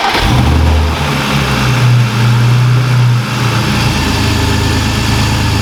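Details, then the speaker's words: Car engine started right after an oil change, left running a minute or two to circulate oil: a quick crank, then it catches and settles into a steady, even, low-rumbling idle with no knocks or ticks; sounds healthy. "Leave it running for a minute or two, just let the oil circulate around the engine."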